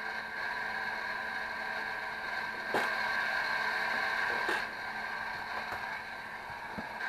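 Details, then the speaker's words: 500 MHz four-channel HP Infiniium oscilloscope under repair, booted: quiet steady whir with a thin high tone and faint rapid ticking about four per second; noisy cooling fan, uncertain whether from CPU fan or hard drive. "admit I can't tell if the sounds actually coming from the CPU fan that's from the hard drive hopefully it's not the hard drive"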